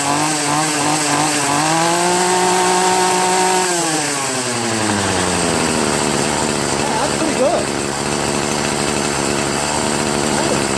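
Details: Troy-Bilt TB70SS 33cc two-stroke trimmer after carburettor high/low mixture screw adjustment: revs up cleanly, holds a crisp high note, eases back to steady idle with no stumbling or bogging; normal running.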